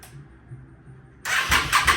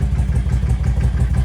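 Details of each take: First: 1998 Yamaha V Star 650 Classic, carbureted, non-running after fuel system work: steady starter cranking with even compression beats and no firing, possibly because the throttle was left wide open; it later started. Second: 1998 Yamaha V Star 650 after fuel system work, airbox reinstalled, engine cold and barely choked with idle bumped up: deep, even V-twin pulses revving up cleanly with slight burbling, likely from an exhaust with baffles removed. Revs much better.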